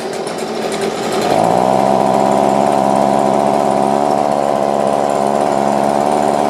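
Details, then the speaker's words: Stihl BG50 two-stroke blower reported to crank up but have no power, before cleaning: buzzes up quickly then holds a flat, slightly wavering high note without pulling harder; low power. "Now this one, he said, it cranks up. But no power."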